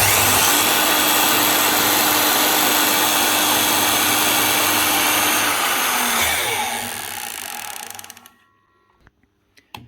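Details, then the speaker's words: 2020 Makita LS1019 miter saw motor, little used: high whine with steady rapid clicking that fades on spin-down, heavy commutator sparking; raised commutator segment knocking and wearing the brush, motor needs replacing. "You can tell it's gone, but you can also hear there's a raised segment. That's what that clicking noise is."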